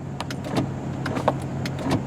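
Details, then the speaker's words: 2001 Dodge Durango Sport 4x4 with 98,541 miles, power window test: the motor hums steadily with a few faint clicks, but there is no sound of the glass travelling, so the window is stuck while the motor runs. "All right, now that's unusual. I hear the window move and it seems like it's stuck. All right, but the motor works in that window."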